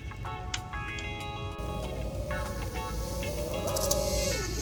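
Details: 5-inch FPV drone (Jeno 5.1 frame, JHEMCU 55A BLHeli_S ESC, T-Motor motors) in flight: clean, even motor tones rising and falling smoothly with throttle, no ringing or stutter; earlier motor bell noise and glitches are gone.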